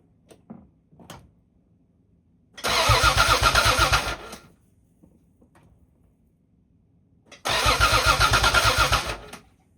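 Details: 1986.5–1992 Toyota Supra MK3: two long cranking bursts with steady starter chugging around four beats per second, engine never fires; crank, no start.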